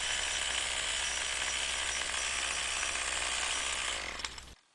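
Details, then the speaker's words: Weed Eater string trimmer after carburetor high-side screw adjusted to the bog point, then backed off 1/8–1/4 turn: high, even buzz at steady revs with no surging or bogging and a responsive throttle; runs clean. "Listen how sweet that runs, and look at how responsive that throttle is."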